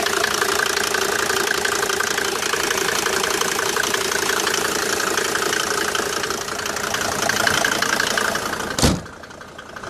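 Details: Mercedes W202 with OM605 turbo diesel idling with even, fairly quick knocking with a clattery metallic edge; abnormal engine knocking, no clear cause.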